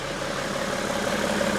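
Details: 2012 BMW X5 3.0 diesel AWD after a repair of the broken EGR cooler: smooth, even diesel idle with a steady hum and no knocks, misses or hunting. Engine healthy.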